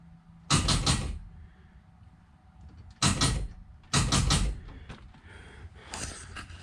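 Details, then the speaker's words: Drag car just fitted with a 16-volt battery: short bursts of rapid clicking and clatter on key turn with no steady cranking. Starter solenoid drops in and out; owner suspects 16 V feed versus 12 V solenoid trigger. Not confirmed. "okay that's just the solenoid on the uh starter kicking in and out so some reason it's not staying engaged it just as soon as i hit the starter just bouncing"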